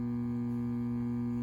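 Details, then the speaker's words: Krohn-Hite 3202 filter, one Sprague 500 uF 25 VDC can filter capacitor confirmed bad by parallel-cap test; constant low mains-pitch buzz that never varies; mains hum from failed filter capacitor, all caps to be replaced. "So it's definitely this guy back here, but we might as well, you know, if this one went bad, this one is going to go bad eventually, so we might as well just swap them all out while we're at it."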